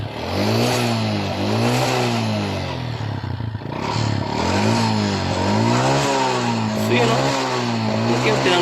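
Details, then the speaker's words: Honda XRM 125 single-cylinder motorcycle engine with owner-reported noise, white smoke from the exhaust canister and past oil loss/dry running; revving up and down with a hollow, dull clatter from the cylinder block growing louder on blips: piston slap. "Ang ingay lumlabas sa kanyang makina guys ito ay ang tunog piston slaps pandin natin ulit para marinig niyo ang tunog na nangagaling sa kanyang cylinder block"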